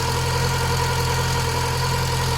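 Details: Mk2 Golf 1.6 petrol, automatic, Weber carburettor, after choke cable adjustment, with an oil leak at the back of the rocker cover gasket: smooth, low, even idle with no hunting, popping or misfire; normal idle.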